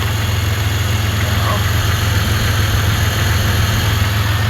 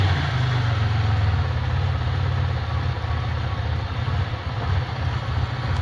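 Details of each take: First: Centurion that quit spitting while winching, owner suspects bad fuel or vacuum leak: just started, holding good vacuum and fuel pressure, steady even low rumble, no misses or surges, responds well to throttle. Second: Sick Centurion engine (owner suspects bad fuel) after injector cleaning, same fuel still in, fuel pressure just under 40: uneven, loping idle sagging and surging near stalling; cleaning injectors did not help, cause unclear.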